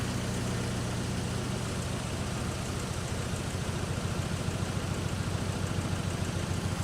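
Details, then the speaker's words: Speeduino Ocelot standalone-ECU Nissan 200SX, first startup attempt after sitting unrun for a long time: rough, uneven idle with fast light ticking about three per second; owner unsure if pinging, suspects a noisy lifter. "I think it's just a lifter. Lifter unhappy."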